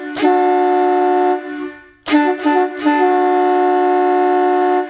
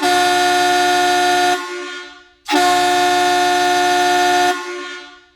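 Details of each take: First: Vintage USA Hadley chrome boat air horn fed by a small canister direct-drive compressor: three reedy blasts, thin and strained, middle ones choppy; 125 dB but weak from insufficient air supply, pump whirring. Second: Vintage USA-made Hadley chrome boat air horns after cleaning, driven with enough compressed air: two strong, steady blasts of about 1.5 and 2 seconds, full-toned and cutting off cleanly, measuring 127.5 dB.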